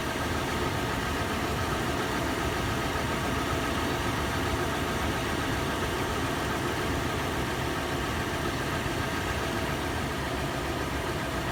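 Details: Toyota FJ on initial warm-up idle, heard in interior, exterior and engine bay: fast, busy metallic clatter over steady engine note, later turning into slower, sharper tapping/knocking; faster in park and neutral, slower under load in drive. Source not found.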